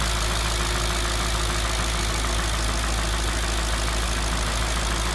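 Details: Audi S4 B6 at idle: loud, with a busy, uneven clatter riding on top of the engine note; abnormal engine noise, cause not identified.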